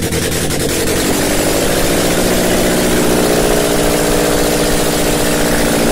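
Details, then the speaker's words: Car engine's first start after head gasket repair: catches and settles into a loud but steady, even idle with no knocks, misses or oil light; normal start and idle. "um this is the first start after I fixed my head gaskets of oil I have water everything is connected so I hope starts"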